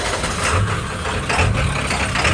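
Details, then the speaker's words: OBS Ford Powerstroke diesel, straight-piped, untuned, after lift pump replacement: heavy idle with a deep surge about once a second, an uneven lope on first start after sitting that then clears; lope not fixed. "this also had a bad loop every time you would first start it after it sat for a minute it would lope real bad for a second then it would go away"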